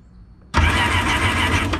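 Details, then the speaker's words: Sea-Doo 4-Tec jet ski (2002 GTX or 2008 GTI) that only clicked, unused two years: with spark plugs removed the starter spins freely in a fast even whir; oil from leaking spark plug tubes filled cylinders, blocking compression; fixed by replacing tubes. "you guys can see and hear, it's cranked now. So I think the problem is the oil that was here into spark plugs heads or whatever cylinder heads, and I think that was too much to compress the engine."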